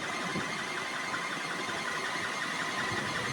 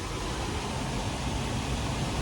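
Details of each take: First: Liebert server-room HVAC unit blower running after maintenance was delayed by Covid: steady air rush with a thin chirping squeak from the blower belt slipping, due to bad pulleys or a loose belt, reducing airflow. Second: Liebert server-room cooling unit after belt-tension maintenance: the blower runs with a steady, even rush of air and a low smooth hum, no squeal or flapping. Airflow rose from about 1106 to roughly 2094–2179 feet per minute; normal blower operation.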